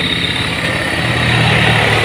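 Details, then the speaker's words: Honda Scoopy scooter after replacing worn crankshaft bearings that caused rough noisy engine: smooth even engine hum at steady speed, no knock or rattle; earlier noise gone, engine healthy. "Nah guys, bisa kita dengar sendiri ya bahwa suara yang ribut seperti di awal-awal video guys sudah hilang"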